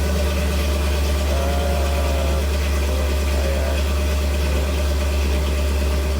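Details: 1975 Ford F150, freshly built 390 FE V8 on first start after 30+ years: deep, steady idle with even smooth beat, no knocks or ticks; 78 psi oil pressure, normal healthy idle.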